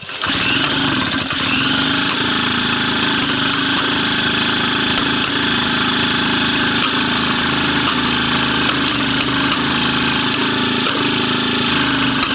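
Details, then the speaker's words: Iseki small two-stroke engine tested for a mini bike build, third start test with the original carburetor refitted. It runs with a steady buzz broken by sharp, irregular pops every second or so, spitting back through the carburetor. There is a problem; the cause is not confirmed. "Pétarade, mais il y a un truc. Non, il y a un problème."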